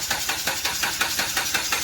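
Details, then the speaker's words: Dodge Journey with a no-crank fault, starter relay bypassed with a jumper from pin 30 to 87: the starter spins the engine over in quick rhythmic pulses about five per second. "I got one end of the jumper going into pin 30 and we got the other going to 87."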